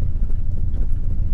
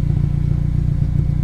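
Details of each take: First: Turbo Honda tuned on Crome Gold, just after startup with the cranking fuel trim being adjusted: low, lumpy idle with an uneven, sagging beat as if about to stall; very lean on startup, fuel corrections still need work. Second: Turbo Honda on a Crome Gold tune with two-step launch control, recorded from the rear: revs climb and hold at the limiter with rapid sharp exhaust cracks and pops, about three per second, building almost 5 psi boost standing still, no flames.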